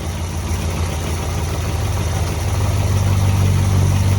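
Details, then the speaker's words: Old 440 V8 after lowering an idle speed that was set way too high (throttle plate open giving vacuum on the ported port), vacuum gauge connected; steady, even low rumble with no stumbles, idling smoothly. "So you can hear it idling a lot better too. Right about there, nice and smooth."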